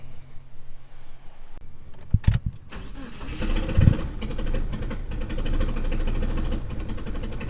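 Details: 1997 Mitsubishi Eclipse GSX 6-bolt swap, first start attempt on a jump pack: a few short clicks, then steady cranking without catching; injector leak noted, cam angle sensor wiring later rewired.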